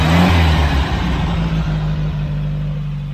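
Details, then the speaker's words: Air-cooled VW Bug engine, pinched fuel line fixed, warming up for heat cycles: steady low chug settling from a slight rev into an even idle, no knocks or misses, idles on its own. "It's so nice that it just idles. I can turn it on, walk away from it, and it idles just like it should."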